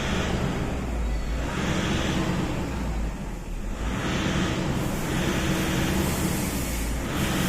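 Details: Toyota Innova diesel that sometimes stalls suddenly, during a fuel system leak test: steady diesel clatter whose drone rises and sags every few seconds, idle rpm unstable due to a fuel system fault.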